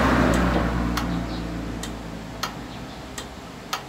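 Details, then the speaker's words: Copy racer motorcycle whose starter won't crank, on key-on. Sharp dry clicks roughly every half second to one second with no cranking beneath. The starter relay is chattering, which the mechanic says is usually a weak battery. "Ayan, pakinggan niyo po siya. Ayan. Kapitik lang po siya."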